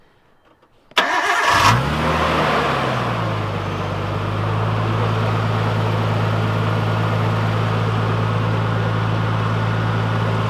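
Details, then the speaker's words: Nissan R32 Skyline, first startup after HKS air intake install: cranks, catches, flares loud, then settles into strong steady drone with smooth even beat; healthy, normal revving. "That sounds so fucking good, dude. Holy fuck. That got some. That thing is screaming. That sucker sounds good."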